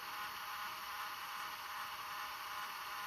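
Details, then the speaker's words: JVC GR-SXM330 Super VHS-C compact camcorder after transport rebuild (fix for clicking/E03 error): fast forward gives a soft, even whir with absolutely no clicking; normal tape transport fast forward. "0 clicks. We'll go to rewind. And you can see absolutely no clicks."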